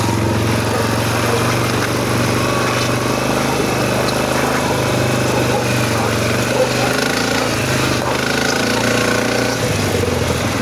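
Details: SF Moto 500 motorcycle, single-cylinder idle: steady run with uneven knocking and rough grinding underneath, constant throughout; internal engine noise, cause not yet found.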